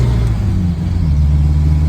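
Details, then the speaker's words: Regal 3 with a rebuilt 600cc engine (150 compression on all cylinders) pulling in third, then fourth gear at about 95°F, windows down: deep, even drone with no knocks, misses or rattles. Normal running under load. "There's third. So, it sounds good. Fourth."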